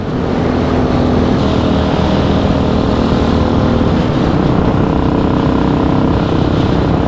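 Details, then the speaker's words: Hawk 250 Enduro single-cylinder carburettor with air-fuel mixture adjusted for Flagstaff altitude, riding in a lower gear under light throttle: steady even drone with no misses or popping, partly masked by wind; mixture much improved, possibly still slightly short of fuel at the top. "so in in a lower gear like this when I would crank on it it would just go but you can see it's not doing that it's but it's just short of enough fuel I think the air mixture fuel has helped tremendously"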